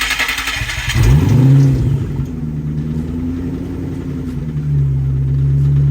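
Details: Supercharged Coyote-swapped SN95 Ford Mustang, cold start after reinstalling transmission: fires and settles into lumpy fast idle with faint rattle underneath.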